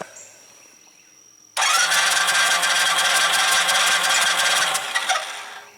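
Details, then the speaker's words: Single-cylinder motorcycle, warmed up, cranking: a fast, even puffing and chuffing but it never catches. There is no compression because the exhaust valve was stuck open. "exhaust valve the head is broken off and that's not good you can see it sucking and blowing so I've got no compression"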